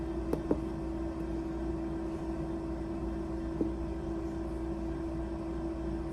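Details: Lab incubator shaker running at 200 RPM and 37 degrees with a taped-cap 400 mL bottle of LB broth inoculated with XL1-Blue cells: quiet, steady mid-pitched hum with a few light clicks; runs evenly and sounds normal.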